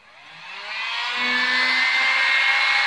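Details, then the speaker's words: Harbor Freight Drill Master heat gun 62546 after repair, reassembled and switched on at high heat: whir spins up in about a second into steady high-pitched blower hum, smooth with no rattle or scrape; normal blower running. "so I finally have this heat gun completely back together and I have it on high heat right now but I haven't turned on the power switch yet I'm going to turn it on right now"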